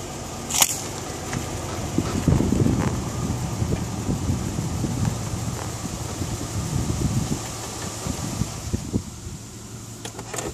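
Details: Isuzu Rodeo petrol engine being revved, with a strange high whine that climbs and falls with engine speed; the source is unknown and the owner is asking for help.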